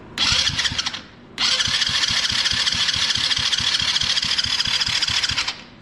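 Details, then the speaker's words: Tao Tao quad, carbs back on, exhaust refitted, battery hooked up, fuel on: starter churns the engine at a steady fast chug in two long attempts, trying without brake cleaner, but it never fires; cranks, won't start. "trying to get it to start without using any brake cleaner or anything come on old girl"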